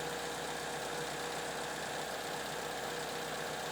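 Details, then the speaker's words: Toyota Venza with code P0017, VVT solenoid already replaced, cam sensor good on lab scope: smooth, even idle with no knock, miss or rattle; fault suspected internal, not confirmed. "I mean, this issue is most likely going to be internal because the engine sounds good."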